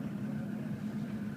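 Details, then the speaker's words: 2003 Ford F250 6.0L diesel cold start at about 3°F, wind chill about -15, radio off: starts right up, then quiet, steady low idle with no knocking or misfire; running fine. "as you can see is three degrees out this morning I have all my radio everything off let's see if it starts there we go baby"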